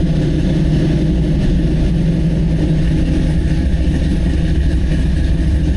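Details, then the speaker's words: LS3 crate V8 in a C10 with Holley Terminator X EFI, cold running while tuning: loud deep even rumble, no stumbling, knocks or ticks, snappy, fuel slightly rich. Normal cold running. "It's actually pretty close. Probably just take a few percent of fuel out. That's a good sign. It's snappy even when it's cold."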